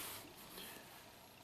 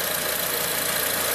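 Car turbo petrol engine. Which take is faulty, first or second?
second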